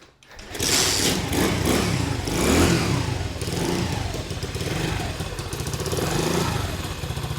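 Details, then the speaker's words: Honda CT70 clone, 125cc (127cc) single, 38 miles, weak battery, choke on, starts on first kick: catches at once, crisp single pulls through a few blips and settles without missing; sounds good, healthy running. "Look at that. Damn, brother. This thing sounds good."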